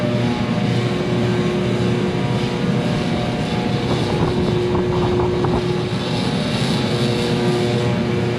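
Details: Free diesel torpedo shop heater running in a 12,000 sq ft warehouse, pumping heat, warm: loud steady roar, constant low hum, no surging or sputtering; burning evenly, running as it should.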